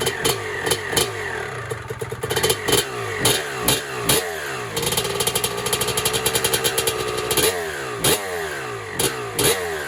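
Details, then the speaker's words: 1996 Honda CR250 two-stroke, first start on a build, 93-octane pump gas, choke off: sharp clean blips returning to idle without bogging, loud through a cracked exhaust pipe; healthy. "Actually sounds pretty good. This is the crack in the pipe, so it's a little bit loud maybe from there,"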